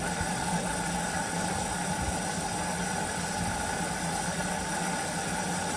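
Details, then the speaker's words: Whirlpool AWOE 8760B washing machine after motor brushes replaced to fix F06 no-spin error: even motor hum, steady drum rush, no knocking or scraping during final rinse spin; runs normally. "and this is just the end where it's uh rinse rinsing it spinning it out sorry three minutes left and it's run fine there's no problems what's all whatsoever"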